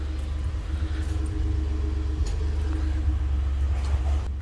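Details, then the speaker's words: 2015 Ford F-150 Lariat, 3.5L EcoBoost, stock exhaust at idle before a Corsa exhaust install: low, quiet, even rumble with no ticks or rasp; normal. "let's do a quick little sound check what stock exhaust sounds like on this truck so it is dead nut silent"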